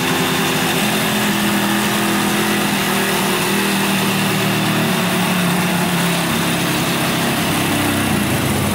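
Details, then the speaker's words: 1971 Yamaha CS200 two-stroke twin, sat over 17 years, on its first start attempt: lumpy, uneven idle popping with a buzzy drone, seemingly running on one cylinder. Owner suspects one isn't sparking; spark was later found and left-cylinder compression read 125 psi. "looks like it's only running on one cylinder here. This one's not sparking or anything."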